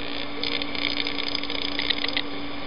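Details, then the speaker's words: Amperex 6DJ8 tube on a Hickok 539C tester's short/noise test, fed to a radio antenna: scattered sharp crackles over steady low hum as the tube is tapped, intermittent internal shorts. "all right I don't know if you can hear that but you can actually hear this Shar through the radio and that's the noise test"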